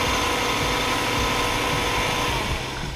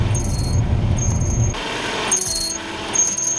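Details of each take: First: Hyundai Sonata (TagAZ) right after tightening the squealing alternator belt: the engine runs steadily at idle with a faint, even hum and no chirp or squeal from the belts; the belt drive sounds fine after the fix. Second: Hyundai Sonata (TagAZ), cold engine idling while steering is turned slightly left-right: shrill chirps about once a second. Suspected power-steering belt squeal is actually the alternator belt slipping; fix is re-tensioning it with a 12 mm wrench.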